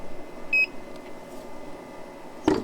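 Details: New Snowmaster Traveler Series fridge-freezer on Yeti Goal Zero 400 DC power, unit very hot after direct sunlight, 12 V fuse intact: beep then single dull clunk as compressor starts, repeating; cause unknown, owner unsure if overheating.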